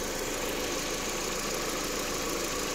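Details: 2002 VW Passat after replacing cylinder 4 injector (injector circuit code) for a no.4 misfire, plugs, coils and valve cover gasket already replaced: steady, even idle with smooth hum, no stumble or skip; firing cleanly, misfire fixed.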